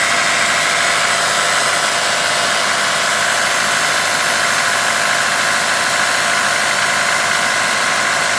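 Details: Toyota Camry Gracia 2.2 5S-FE engine at idle: fast irregular ticking knock on a bright even idle, not changing with speed; engine or camshaft knock suspected, source unconfirmed.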